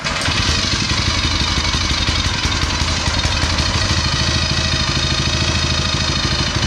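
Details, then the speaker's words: Go-kart small engine with newly installed torque converter, started from cold on choke, choke turned off too soon: catches and holds a steady, even putter with no stumbling or knocking; normal running after cold start. "So there we go, running. Oh, I turned the choke off too soon."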